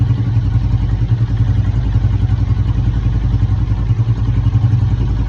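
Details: Motorcycle idling with a rough, low clatter about three times per second, suspected to be a noisy clutch, not confirmed.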